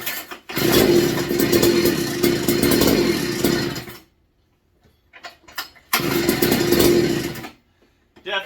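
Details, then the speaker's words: Rebuilt McCulloch MC49 two-stroke on a 090 carb: catches and runs ragged for a few seconds, cuts out, fires briefly again and dies. Owner first suspected the carb or fuel, then the ignition, since there is blue spark but firing drops off as rpm rises. "it's acting like it's ignition related getting fuel I've got Spark all the way through the pole and everything beautiful blue spark but when the RPMs go up it's dropping off"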